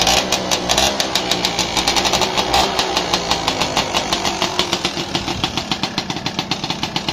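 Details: Yamaha Alfa two-stroke / Honda Supra 125 engine, weak power: sharp fast very regular tick about six a second over light engine note from cylinder area; piston slap, piston-to-bore gap found on teardown.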